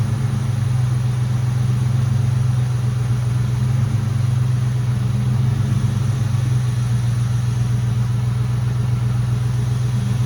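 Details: Mustang GT at idle after the power steering air bubble was fixed and the heater core was bypassed: a smooth, steady, low idle with no whine; the pump noise is basically gone. Normal idle.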